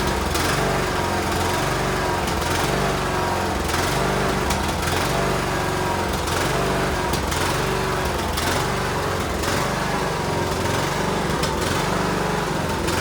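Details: Cub Cadet LTX1040 riding mower's small single-cylinder engine on a test run after the carburetor was removed to fix a gasket leak at the fuel solenoid; it runs at a steady speed with an even, rhythmic putter and no stumbling or surging, so it runs healthy.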